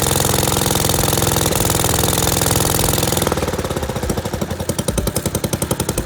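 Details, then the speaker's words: 1963 Wheel Horse 753 garden tractor after replacing its missing carburetor, ignition coil, air filter and spark plug, first start: single-cylinder thumping settles into a steady beat of about three to four per second, running evenly. "woohoo and it runs all right now I know the doesn't work so I'm going to have to get that replaced but the thing is running"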